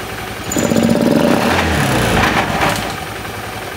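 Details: Honda Beat FI scooter with rough starting, idling: coarse, uneven rattle and grind from the CVT side. The mechanic suspects a worn or damaged CVT pulley shaft bearing, since the sliding parts look good.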